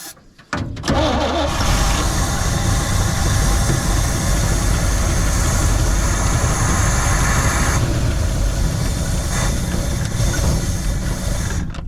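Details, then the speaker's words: 1972 C20 pickup after over 20 years in storage: engine runs loud and uneven with ragged beats and a backfire, never settling to idle; owner suspects fuel pump not yet delivering enough fuel, possibly a bad pump. "i don't think we're i don't think we probably got quite fuel from our fuel pump yet i think it would idle well we're we're getting there"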